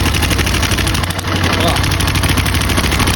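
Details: Twister 250 motorcycle, engine running: fast, loud metallic clatter over the whole engine without letup; mechanic suspects worn cam chain and tensioner, removing the tensioner to check.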